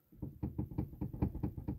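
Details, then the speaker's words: Chevrolet Onix/Prisma cabin: irregular dull knocks, roughly five per second, with no engine note behind them, reproduced by rocking the passenger seat; a passenger seat rail bolt has worked loose. Loose seat rail bolt knock. "ó vendo esse barulho pessoal e ele aqui no banco ó tá ó você balança o banco aí se banco que o banco passageiro ó ó tô vendo ele tá frouxo não tem problema eu nesse trilho aí ó nesse parafuso"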